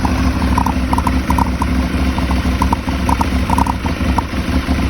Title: Aprilia Shiver 750 Throttle Body Problem? Rough Idle